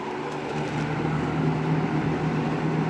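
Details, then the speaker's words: 20-inch Lakewood S223 second-generation box fan on high speed: steady rush of air over an even low hum, no rattle or ticking; the grill rattle heard on low is absent or masked on high. "And either it doesn't rattle on high or you just can't hear it on high. One of the two."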